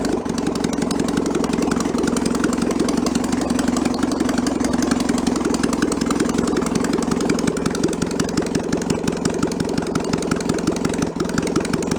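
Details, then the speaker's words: 1966 VW bus engine, removed and found in a barn, test-run out of the vehicle with the carburetor still needing a rebuild: even, rapid putter at warm-up idle, no misses; the choke stepper turns off as it warms and idle drops lower and lower. Normal. "it's got a stepper on this is as the choke warms up it turns itself off and the idle comes down lower and lower"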